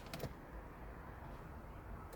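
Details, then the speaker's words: Mercedes-Benz W124 300CE-24 fully electric seat adjustment, seat moving up, down and sliding: quiet, even motor whir with a click at start and stop. Normal power seat motor operation. "press of a button and it goes down and up it's a it's one of those oh it's fully electronically controlled so yeah and it goes up and down and everything slides backwards and forwards"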